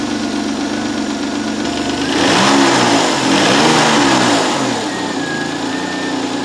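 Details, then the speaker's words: Citroen XM 3.0 24V V6, cold, revs used to hang high before: even idle, a quick blip of revs, then speed drops straight back to a smooth steady idle without hanging; running on all cylinders. "It returns to idle pretty smoothly and quickly. It revs up nicely. It's running on all cylinders."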